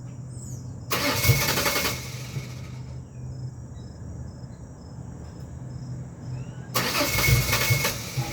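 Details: 2001 Ford Ranger XLT 4.0 V6 on a morning cold start: two long bursts of starter cranking over a low drone and it never catches. Fuel, ignition parts, regulator and crank/cam sensors are new; fuel pressure and compression were checked; cause unknown.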